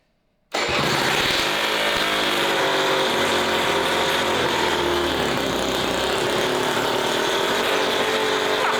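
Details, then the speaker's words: Honda Vision moped fitted with race-tuned 125cc two-stroke engine, fuel fed by sucking the vacuum fuel-tap line: loud raw buzzing keeps firing steadily after ignition turned off; owner suspects faulty ignition. "So, I had to drop the camera because and turn it off because it wasn't I turned the ignition off, but it just it carried on firing. So, I think I've got a dodgy ignition, but I"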